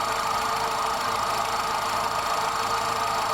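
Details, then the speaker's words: VW Golf Mk3 after head gasket replacement and new timing belt, engine idling steadily and smoothly with even mid-pitched hum, no knocking or hunting; cooling fan engages and disengages, repair successful, normal idle. "so so the fun engages and disengages the car is finally cured and everything works"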